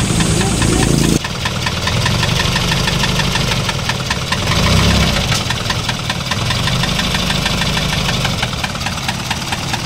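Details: Isuzu 4HL1 diesel idling: sharp steady knock about three times a second, rough running; starts easily, no check engine light, so injector/fuel knock ruled out; found as piston slap from worn piston, rings and liner.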